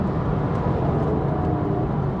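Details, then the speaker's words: Porsche Boxster S 987, 16 years old, over 120,000 miles, sports exhaust under hard full-throttle acceleration: deep, dense, steady exhaust roar with no knocks, rattles or misses; engine still pulling strongly, normal healthy exhaust note. "couple it with that sports exhaust which still sounds phenomenal oh yes yes yes yes"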